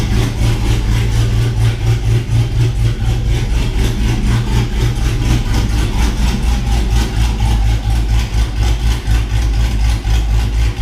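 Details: 6.0 swapped Cateye truck with BTR Truck Norris cam, after fixing a bad lifter: steady, even lumpy idle with choppy cam rhythm, no ticking; engine sounds healthy.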